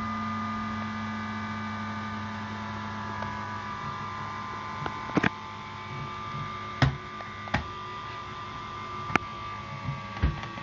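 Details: Dell Vostro 3555 laptop with AMD A8-3500M: the CPU fan spins flat out at high CPU temperature with a loud whirring hum and thin whistling tones. Cleaning out dust did not change it.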